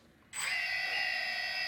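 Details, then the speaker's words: DJI Phantom Vision/Phantom 2 after T-Motor Antigravity motor conversion, powered up at idle without raising speed: clean steady high whine, no thumping or wavering; normal motor idle. "so basically if you're running the motors at regular idle speed you should not be getting any disruption in terms of the see sending the command to the motors"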